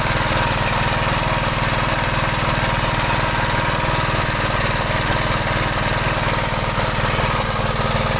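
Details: 1973 Gravely C8 after replacing the oil pump cover seal and gasket, run to check for drips: rapid, even thumping about four beats a second over a steady drone; single-cylinder running smoothly.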